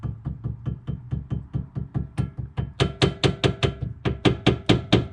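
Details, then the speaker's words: Front right suspension/steering of a 1999 Porsche 996 Carrera 4 on used H&R street coilovers, struck with a mallet: steady blows about twice a second, louder sharper metallic clanks moving outboard to inboard along the tie rod; inner tie rod worn. "to in, it seems like the inner tie rod is bad. So if you have noise coming from your suspension, this is a good way to do it. Just take a mallet and start hitting stuff and see if you can replicate a rattle."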